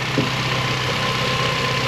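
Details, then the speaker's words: Honda Civic race car at idle while warming up: a steady thin whine from the front end over a lumpy idle, easing as it warms. The power steering pump is whining, and the owner is considering swapping in an MR2 pump. "all right it's getting better as it warms up but um again my polystyrene pump is winding which could be a motivator to get them"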